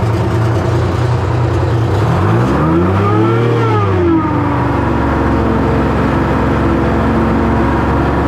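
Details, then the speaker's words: 1970 Hough International H60 payloader, Detroit Diesel 3-71, diesel running with clear whine rising and falling as bucket works — starved hydraulic pump from very low hydraulic fluid; fluid to be topped up. ">> How do you know you're way low just because of the way it work? just because of the way it's wine and it's and that pump is whining like a [ __ ] >> Okay. >> So, we're going to have to put some hydraulic fluid in it."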